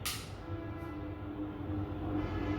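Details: Stand fan after servicing; it had only shaken without running after months unused, and capacitor and jam fixes were covered. Now a steady, even motor hum at full speed with no rubbing, clicking or wobble: normal running.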